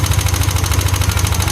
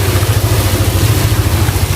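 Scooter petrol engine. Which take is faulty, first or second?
first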